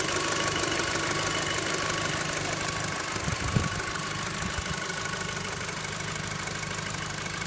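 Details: VW Golf 5 GTI engine at idle: a quiet idle carrying a fast, light ticking with a faint metallic bell-like ring and one brief clunk; strange noise, cause not obvious.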